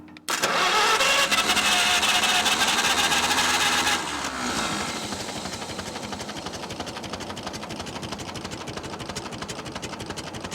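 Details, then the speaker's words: 1945 Farmall H tractor, long sitting, after the plug wires were reordered, with the tank possibly near empty: short crank, then it fires, runs up loud and settles into a soft, steady idle; it starts and runs. "I'm sorry what that's it this thing is so quiet I didn't even think it was running"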